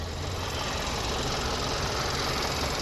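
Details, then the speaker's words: 2012 Kia Optima four-cylinder that cut off and wouldn't start, idling with old battery refitted: steady but uneven, slightly lumpy, shaky idle under a flat hiss; cause unconfirmed, suspected air filter, battery or alternator or needing a tune-up. "so i put his old battery in there it's still shaky a little bit yeah she's still shaky a little bit"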